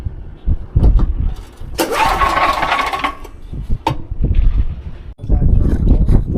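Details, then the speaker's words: SDMO 5000W generator, Briggs & Stratton engine (about 18 hp), first pull-start attempt with almost zero fuel in tank. Pull-start thumps, engine catches about a second with rough roar then dies; stall from fuel starvation. "As you heard it ran for a second there, but it's got almost zero fuel in it."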